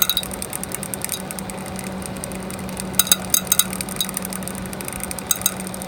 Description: One of the case fans in my home server has started making clicking and ticking noises, and visibly wobbling on its axis.